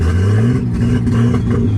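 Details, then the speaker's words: Nissan Skyline with a full turbo, running on all six cylinders but in limp mode, revved up from a high idle; rough, uneven, clattery note and a chirp as it struggles to take revs; head removal is planned next. "It's running on all 6. Turbo's full. Yeah, it's kind of like in a limp mode right now."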